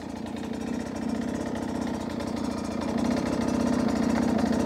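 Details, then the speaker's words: Beta 250 two-stroke on stock jetting at low rpm: uneven, skipping burble instead of a smooth pull; lacks bottom-end consistency, which the rider attributes to the stock jetting. "it's that smooth bottom consistency that I'm looking for and I feel like I'm not getting it with this stock jetting one more time listen to it even there you can hear it's almost skipping at times"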